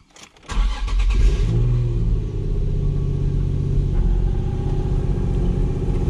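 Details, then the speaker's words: 2008-era Nissan 350Z (VQ35HR) with a South Bend stage 3 clutch and flywheel kit, at cold start. The engine settles into a fast cold idle with a light chattering rattle underneath, which the owner says is the stage 3 clutch making noise. "know you guys can hear that that noise listen that's the stage three clutch making that noise"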